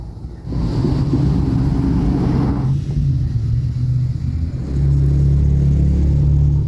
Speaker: okay we identified the leak in this low return down here we're getting a whole lot of noise can hear the water rushing through